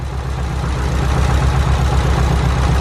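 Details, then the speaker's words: Car at idle, tested by unplugging coil packs one at a time: low, slightly lumpy idle that does not change with the cylinder 4 coil disconnected; cylinder 4 coil pack dead, causing a misfire. "So that leads me to believe that this cylinder 4 plug is actually dead. Or the coil pack, sorry. Cylinder 4 coil pack is actually dead."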